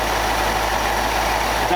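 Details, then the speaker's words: 1965 Ford F600 truck after carburetor rebuild: deep, steady idle slightly on the quick side, no misses or knocks; sounds better, healthy. "that sounds better for idle it sounds pretty deep not a little fast to me but i'm used to flatheads they idle"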